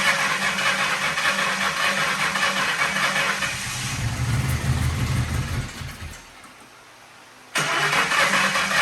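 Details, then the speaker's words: 1997 Lincoln Town Car Signature bought with an unknown engine fault, started to blow debris out of a suspected blocked catalytic converter: uneven sputtering with irregular pops about three per second, dying briefly and catching again; owner also mentions timing chain noise. "I don't know if that would have anything to do with the timing chain making noise or what but it seems to be backfire sputtering and whatnot so let's get that cut out"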